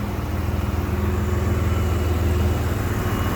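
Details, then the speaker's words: 1993 GMC Sonoma after refitting the old distributor and module, idling past the earlier cutout point: even low idle with a steady pulse of about four per second, no misses or knocks; running cleanly. "She runs beautifully. Beautiful. And it's gone past the cutout mark from when I first fired it up."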